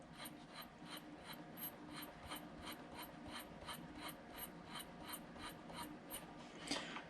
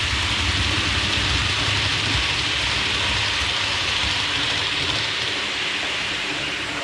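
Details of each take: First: Hornby Advanced Passenger Train coach after about two weeks of use: rapid high-pitched chirps, about two a second, from the wheels rubbing the copper pickup contacts; pushing the contacts together stops the squeak. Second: Hornby APT (Advanced Passenger Train) model coaches after wheel cleaning to cure a high-pitch wheel squeak, running about 10 minutes with no squeak returning: steady rolling hiss and low rumble, no high squeal; normal quiet running.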